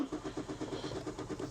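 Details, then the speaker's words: Car that had intermittent limp mode and a fuel filter warning, first start after the fuel filter was replaced: quick, even cranking pulses with nothing firing; cranks but won't start, and the owner suspects not enough fuel in the new filter yet. "No, guys. The car ain't starting. Let's try it again."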